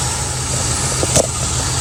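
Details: Carbureted Mustang V8, cold start after replacing the arcing spark plug wire: settles into a steady, even low rumble with no misses or stumbles; idle smooth and healthy.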